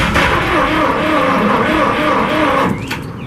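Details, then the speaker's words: 1963 International 549 engine with two distributors, cranked on ether starting fluid only: rapid rhythmic cranking around four beats a second with ragged firing that never settles; tries to catch but won't run. "It's trying, it's not going real good, but I think it's good enough."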